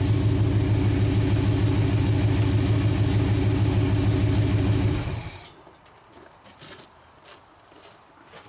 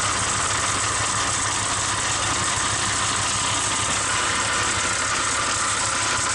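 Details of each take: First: 1946 Dodge truck first start in decades, idling with generator belt removed to isolate a noise: steady even idle, regular low beat, no whine or rattle, then clean shutdown; engine quiet. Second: 1946 Dodge truck at its first start in decades: steady hissing whir over an even idle, with exhaust leaking at the manifold; the belt-driven generator is suspected of making the noise, checked by removing the belt.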